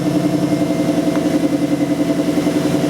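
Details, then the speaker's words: 2002 Infiniti Q45 4.5 L coil-on-plug engine, after no-start diagnosis (P0335, faulty crankshaft position sensor): starts and idles steady and even at about three and a half pulses a second, no misses. "All right, you hear the vehicle's running, that's great."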